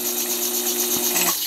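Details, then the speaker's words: Coil winder motor slowed with a dimmer switch: steady buzzing whine with raspy hiss, turning slowly then cutting off; motor underpowered from insufficient voltage, could overheat. "but I can hear the motor. It's whining because it's not getting enough voltage."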